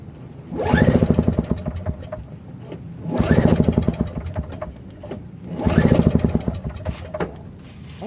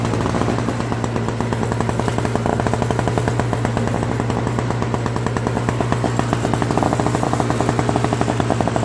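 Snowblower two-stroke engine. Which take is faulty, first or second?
first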